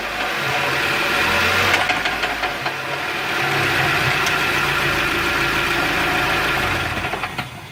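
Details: Mazda Miata, clunking that began just after a clutch replacement: the engine catches and settles into idle with irregular sharp metallic clunks and rattles; source not yet identified.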